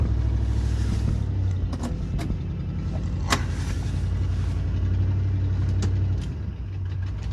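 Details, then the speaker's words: 1986 Mercury Grand Marquis Colony Park wagon V8 first start: loud deep rumble with raw puffing and sharp clicks; exhaust leak where left-side pipe from exhaust manifold to Y-pipe is missing. "it is a little bit louder because part of the exhaust is actually missing from the left side where it comes off of the exhaust manifold to the y-pipe"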